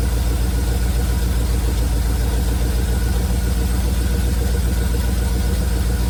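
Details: 1971 Chevrolet C40 truck V8 after carb cleaning: deep, even low idle burble, no misses; running really well, blow-by minimal.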